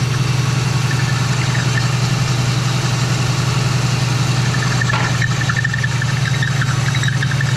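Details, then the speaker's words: Old Oldsmobile on its own fuel tank with radiator in, cold shop, after the shop door was opened and it stopped choking itself out: even, low thrumming idle with no misses; loose belt squeak being addressed; running pretty good. "Really? It's just not going to cooperate. But yeah, it's running pretty good."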